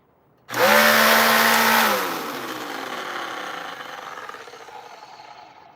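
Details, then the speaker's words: Vacuum: motor bursts up with a harsh, gritty scream for about a second and a half then coasts down rough; motor sounds gone, not yet verified. "Yo, that motor sounds like it's gone. That motor sounds like it's gone, guys."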